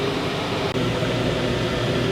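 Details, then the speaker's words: Wrecked Georgetown RV rooftop AC with damaged cover, switched from fan to cool: something else turns on, steady blower rush with smooth low hum and compressor tone, no rattles; blowing really cold, unit fine. "switched it over from just regular fan to actually cool, and I heard something else turn on, and it is blowing really cold."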